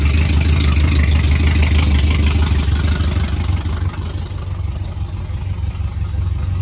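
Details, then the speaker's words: V8 truck stuck on four cylinders, two per side, blamed on DOD (cylinder deactivation) still active in the tune despite mechanical DOD delete: deep, even low thrum about three beats a second, sounding like a four-cylinder or V6. "So, and it sounds like a fucking 4-cylinder when you start it up. It sounds like a V6."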